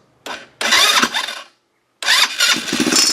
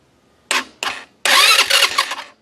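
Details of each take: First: Chinese 150cc ATV left sitting outside for years, after rewiring a replacement key switch that blew fuses: starter whirs, engine catches and putters unevenly a few seconds then dies; sealed carburetor clogged inside despite cleaning. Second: Chinese 150cc ATV, sat outside for years, after key switch rewiring and carburetor work, fuel on: two short starter whirs then a longer one of about a second, turning over but not yet catching; normal cranking.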